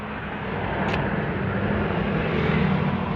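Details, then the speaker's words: Toyota Revo on a road test after replacing the cracked propeller-shaft center bearing and cross joint: even road and drivetrain hum at steady cruise, with the earlier squeak and rattle from underneath gone; driveshaft runs smooth and quiet. "So wala nang ingay guys, oh. Hindi katulad kanina na parang may ibo na ano eh. Parang kumakalaskas na. Oo. So suwabe na siya ngayon guys."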